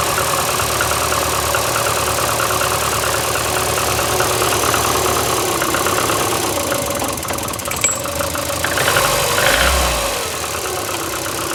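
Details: VAZ 2115 8-valve engine, cold idle after head gasket failure at cylinder 1 seven days ago (antifreeze and 5W40 Lukoil oil changed): misfiring idle with a loose knock about three per second and a rubbing note; check-engine light comes on; owner suspects worn valves, cause unknown.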